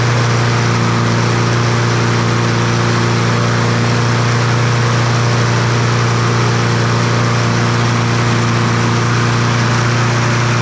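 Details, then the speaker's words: Troy-Bilt TB200 push mower, Briggs & Stratton 550e 140cc engine, dark oil, before service; engine screams at a steady too-high speed with slightly uneven beat, revving unexplainedly high; engine over-revving. "I don't know why that thing was revved up so high"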